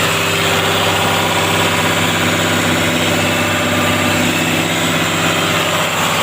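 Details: Caterpillar 320D excavator, C6.4 diesel, after injector replacement for hard starting: steady, even diesel rumble with no misfire, knock or stumble; engine running smooth and healthy.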